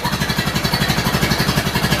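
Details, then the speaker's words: Model A pickup at first start after reassembly, running off the tank, hot start: very slow, lumpy idle around 400 rpm, a little exhaust smoke, smells rich; idle not yet adjusted, cause of low idle unknown. "to that that's like 400 rpm maybe shit's fallin into the fan or what [Music] little bit of smoke from the exhaust and everything else seems fine"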